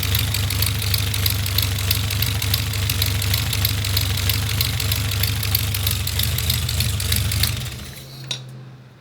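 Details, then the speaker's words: Toyota 22RE engine in an off-road buggy, after new exhaust manifold gasket: fast, sharp ticking puff, about three a second, over the idle until shutdown. Exhaust leak still at the top of the manifold; air felt escaping there. "Big old leak coming out of the top. That's strange. I could feel air coming out of right here, and I could hear it."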